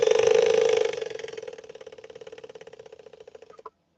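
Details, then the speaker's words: Swedish sewing machine on arrival for repair, motor powered up: loud buzzing hum fades into uneven rhythmic chugging, a few beats per second, as it slows; labored, motor running very hot. "All right, let's try powering this motor up. That does not sound good, does it? Listen closely. That's not the way a Swedish Beauty should sound."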